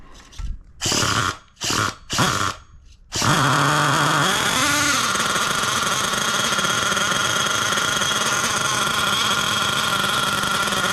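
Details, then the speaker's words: Losi LST XXL nitro RC truck, barely run since bought, just fired up cold: short revs then steady high buzzy idle sounding thin at the bottom; low-speed needle lean, to be richened. "she fired right up good news as always uh it does sound a little lean on the low uh GNA let it warm up for a little second I'll probably riching up that needle"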